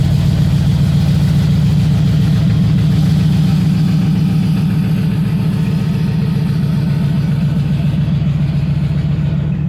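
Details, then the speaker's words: 1961 Cadillac Coupe DeVille V8 at idle after a summer cold start following about four months sitting: a deep, loud burble with an even loping pulse and a raw exhaust note. One muffler is blown, straight-piping that side; the car idles fine. "started up pretty good idling fine it's just loud"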